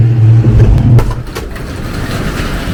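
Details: 1971 Ford Torino GT small-block, 3-speed, driving after no-start fix and repairs: low, steady engine drone under road noise, no knocks, misses or surging; engine healthy.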